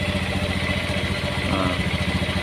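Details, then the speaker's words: Honda Beat FI scooter that won't electric-start and has a dead speedometer on key-on but kick-starts; idling with the battery disconnected to measure regulator output: an even, steady putter. Charging is good at 13–14 V, the relay pin 4 is fine, and the battery is at fault. "Nah kita hidupkan motornya kita cabut aki aki kita cabut"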